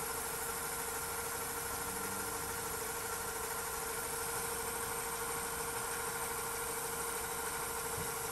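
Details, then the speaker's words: Funai ZV427FX4A DVD/VHS combo recorder after repair of VHS fault: steady, even fast-forward whir with constant tone, no catching or scraping; loud but normal for this deck. "okay stop and yeah these decks are literally that loud really not much to them"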